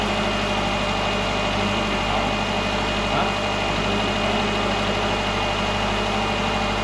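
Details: 2010 Subaru Forester non-turbo after repair of a timing belt broken at 8000 miles and engine reinstall, first run: smooth, even idle with a steady low hum, no ticking or knocking; engine settles and runs cleanly.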